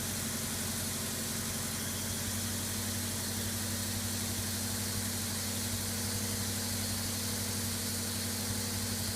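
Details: Subaru EA82T turbo flat-four on Megasquirt MS3x, running after new fused ignition and injection relays are wired in: steady, even idle with a smooth low drone, no knocks, misses or stumbles; normal idle.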